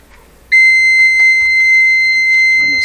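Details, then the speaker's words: Canadian Westinghouse 981 shortwave radio under repair: multimeter on continuity, one lead grounded and the other clipped to a mystery wire, gives a steady unbroken high beep, showing continuity to ground. "just grounding one side of the meter the other side put on the wire set my meter to continuity so it's going to give a tone if there's"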